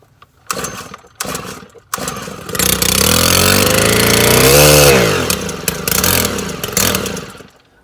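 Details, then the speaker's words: 2013 100 RX string trimmer that would not start, run after its ignition coil was replaced: a few cord pulls, then it catches, revs up crisply and drops back to a steady idle. "i got the coil replaced and got it going"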